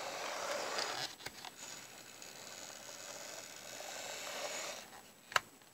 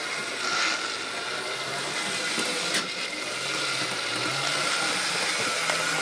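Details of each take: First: 1970s Bachmann F9 eight-wheel-drive model locomotive after restoration, test on track: quiet, smooth, high-pitched motor whir with no grinding or stutter; runs much better than before. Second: 1970s Bachmann super 8-wheel-drive F9 model locomotive test-run before restoration: high-pitched rattling buzz with gritty, uneven grinding, running very rough and noisy and needing cleaning and service.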